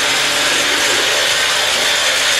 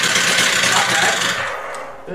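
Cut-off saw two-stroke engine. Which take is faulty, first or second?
second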